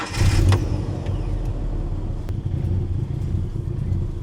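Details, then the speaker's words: Ford Ranger with 5-speed manual, running and driven home: choppy, lumpy idle with a puffing exhaust note that sounds cammed though it isn't, caused by a badly leaking exhaust manifold. "I drove it home. Sounds fine. It feels fine, other than the manifold leak that it has. I'm sure you guys heard it. It is leaking pretty badly."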